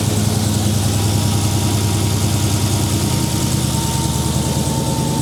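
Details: Supercharged Dodge Demon idling after a Mighty Mouse Gen 6 oil catch can install: a deep, even rumble with a faint high whine on top and no misses or knocks; a healthy idle.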